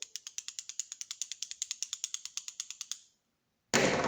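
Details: 1972 Firebird 4-speed: sharp, even clicking about nine times a second as the old, grooved clutch throwout bearing, which wobbles badly, is spun by hand; the pilot bearing was also bad.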